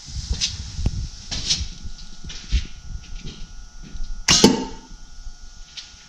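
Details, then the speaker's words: VW Autostick with the ignition switched on: the clutch control valve, fed by manifold vacuum and linked to the vacuum tank and clutch servo, activates with one sharp vacuum pop against a quiet background; the valve is working normally. "I'm gonna turn on the ignition and you'll actually hear our control valve activate you'll hear the vacuum you should hear it's well I'm gonna describe it as a pop but you'll hear that"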